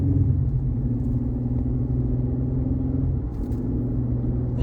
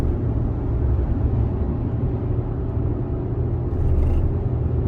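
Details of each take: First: 2020 Chevrolet Colorado with a bad torque converter clutch, driving with the clutch lockup disabled by scan tool: steady road rumble and even engine drone with no shudder. It drives fine. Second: 2020 Chevrolet Colorado while driving: deep steady rumble with a repeating low shake through the whole truck; scan data shows converter slip repeatedly going over 100 RPM, indicating torque converter clutch shudder.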